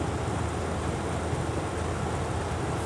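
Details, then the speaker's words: Hitachi Yutaki S 14 kW heat pump outdoor unit (RAS-5WHVNP), compressor at 82 Hz, 18% short of 100 Hz. Steady low hum and even fan rush with no knocks or rattles. Healthy. "Posłuchajcie jak to wygląda w sprężarkach tej chwili działa częstotliwością 82 herców a także do setki jeszcze brakuje 18 procent"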